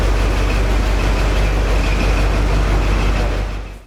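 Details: 1981 Pontiac Firebird Trans Am, carbureted V8 stored for years, after fuel filter replacement with gas added to carb: deep, steady rumble holding an even idle with no misses or stumbles; fed fuel and running normally.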